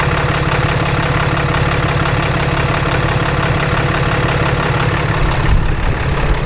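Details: 2014 Cummins 6.7 diesel idling right after a CAT 1R-0750 fuel filter swap on a BMP adapter housing, primed to about 10–11 psi and checked for leaks: steady diesel clatter with an even rhythm throughout; smooth, healthy idle.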